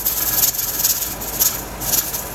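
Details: Pressure canner canning turkey, with the heat lowered slightly after the weight begins to jiggle: a soft steam hiss pulsing about twice a second as the weight rocks gently. Normal pressure holding.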